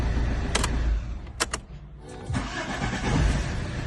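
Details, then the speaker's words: Diesel car with newly fitted replacement starter (old one was lazy), glow plugs cycled twice: short brisk cranking bursts, then it catches and runs on with a steady rumble; normal start, gearbox fine but suspension worn. "Täitsa teeris. Normaal piln."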